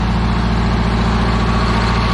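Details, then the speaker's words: 1977 MCI bus with low-mileage Detroit Diesel two-stroke and Allison transmission at idle after starting: a deep, steady drone with an even beat and no knocks or misses. Healthy idle. "I just fired. This thing just purrs. Woo! It's ready to go."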